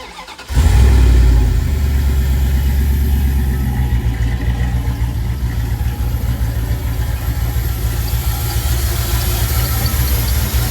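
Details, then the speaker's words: Car started after an attempted fix: petrol engine cranks and catches, then idles with a quick, repeating serpentine belt chirp over the running engine; less bad than before the fix, but still chirping. "Oh, for the love of crap, really? You're still going to squeak on me? Why are you chirping? You should not be chirping."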